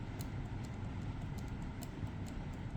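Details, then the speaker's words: Medeco lock being picked: rapid light ticks about every half second as the key is rocked back and forth under light tension after relocking; the clicky test showing pins setting cleanly at correct rotation, normal pin click. "and that's the clicky test where you just go back and forth you sort of feel and you make sure that that is correct set rotation"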